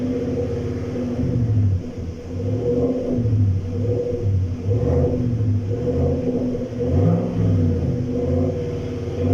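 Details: 2017–2018 GMC Sierra with no current engine codes, live data showing fluctuating fuel trims and cylinder 3 dropping: deep uneven rumble when revved, beat stumbling and surging; misfire attributed to a weak fuel pump, to be replaced.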